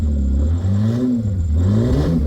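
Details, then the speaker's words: Holden Commodore V6 Ecotec, $200 cheap car, old exhaust before new 2.5-inch sports exhaust fitted: loud raspy low drone rising and falling with throttle blips, far too loud and open; exhaust leak, broken before the muffler. "so look that's what it sounds like prior to the uh the new exhaust going on a dirty old Commodore sound car"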